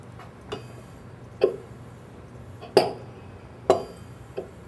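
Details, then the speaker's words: LM10 processor priming with the prime button held: soft, uneven thumps about once a second as the pump strokes; normal cycling before a prime is reached. "you can hear the Machine cycling and there is a prime so we'll let go of the button"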